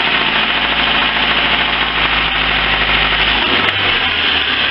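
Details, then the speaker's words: Lifan petrol engine idling with a dull, uneven knock buried in the clatter; stethoscope places knock around cylinders two and three; oily carbon on plugs suggests stuck piston rings with oil entering cylinders; source not confirmed. "итак проблема штук двигатели делаем диагностику акустическую скота скопом показывает стук во втором-третьем селе не было ни"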